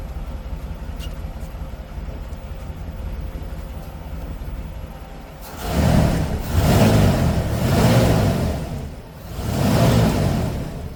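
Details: 1988 Mercury Cougar Foxbody V8 after fuel tank cleaning and fuel system work, first start on its own fuel system: quiet, then fires and takes several smooth throttle blips without stumbling; normal start and running.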